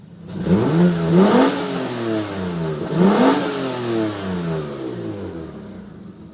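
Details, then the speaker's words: 3G Eclipse 6G75 V6, clogged fuel injector replaced after fuel-starvation misfire, no check engine light: two quick throttle blips, pitch climbing cleanly and falling back smooth, no stumble or popping; runs smooth, normal revving. "as of right now car is running smooth"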